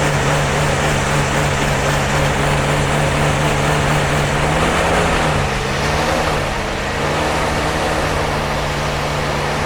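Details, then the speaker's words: Jeep CJ5 not started in about 34 years, started with starting fluid and fresh gasoline added. Fires and holds a steady, slightly uneven idle with a low drone. Rough running; owner suspects old gasoline left in the lines. "it's probably got bad gas in the lines just trying to well that's it's that old gasoline in there you know we didn't clean that crap out"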